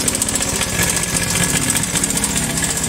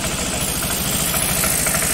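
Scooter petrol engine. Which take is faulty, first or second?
first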